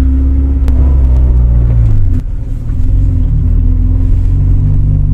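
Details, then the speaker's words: Honda CRX del Sol manual gearbox in second gear at higher road speed, sound from underneath the car: faint steady whine with zipper-like, sewing-machine chatter from worn gearbox bearings, clutch being replaced. "en segunda de siente demasiado el sonido que ya coge más velocidad pero sin embargo no hay tanta fricción contra el piso entonces se escucha mucho más bueno ese chasquido sonido de máquina y coser sonido de cremallera no sé cómo cómo es más explicarlo es por los patines los rodamientos de la caja"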